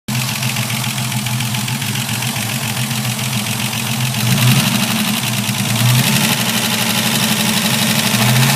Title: Capri Grinding Noise... Video 1